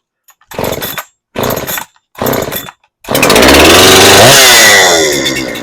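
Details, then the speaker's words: Farmertec Husqvarna 372XP clone chainsaw on first start after a new ported cylinder kit and new base gasket: three pulls, then it catches with higher compression and revs with a blubbery, uneven top end, running rich on the high-speed mixture. "definitely rich but hey guys she runs"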